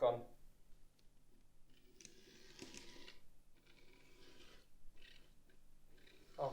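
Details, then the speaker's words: Class 68 model locomotive after repair, tested with only one set of pickups connected: faint even motor whirr with light clicks, previous knocking noise gone; runs quietly. "before i put that all back together i am actually going to test it because the pickups on the other end will still transmit power see if that's gone quiet and as predicted the knocking noise is"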